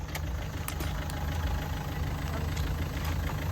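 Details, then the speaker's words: Renault Duster gearbox, previously slipping out of fifth, running in fifth at about 30 km/h after the side cover was opened and the fault fixed: steady low drone, smooth with no knocks, whine or grinding; healthy. "ನೋಡಿ ಇದು double top ಇದು, ಆರಾಮಾಗಿ move ಆಗ್ತಿದೆ ಗಾಡಿ."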